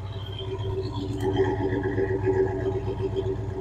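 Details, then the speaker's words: 1967 Dodge Coronet, restored 318 V8 with Holley Sniper fuel injection, automatic, stainless dual exhaust, heard at the tailpipes: smooth, even low burble with steady lope, no misses or ticks, almost no vibration; normal idle. "And you can see she runs smooth as glass. Almost zero vibration in that motor at all. Very, very smooth running car."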